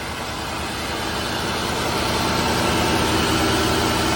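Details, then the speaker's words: Flood-damaged Cadillac DeVille Vintage Edition, recall done, started cold: a steady, even V8 idle with a smooth, unbroken beat and no knocks, ticks or misses. Runs like a dream. "Like a dream. Oh, I love this car."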